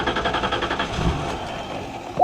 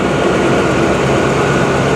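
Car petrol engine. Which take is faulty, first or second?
first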